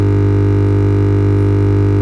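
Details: Simbada CTS 10 500 active speaker that hums as soon as it is switched on, though the IC is not necessarily faulty: a steady deep buzz. The symmetric supply is unbalanced (about 10 V vs 5 V), blamed on a dried-out main filter capacitor.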